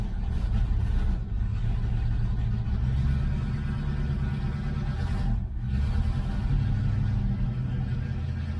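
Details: 1970 Ford Mustang Mach 1 V8 on its second start after long storage, running on a temporary tank with fresh gas. A deep, uneven rumble with brief stumbling sags; the owner hopes good fuel will clear the rough running.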